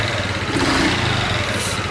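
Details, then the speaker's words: Honda Chaly small single, engine previously rebuilt without replacing many parts, idling unevenly with a light metallic rattle; owner suspects it comes from two places, possibly the cylinder head and the crankcase; the cam chain tensioner is to be checked. "I wonder if there's a rattling sound and the sound is coming from two places?"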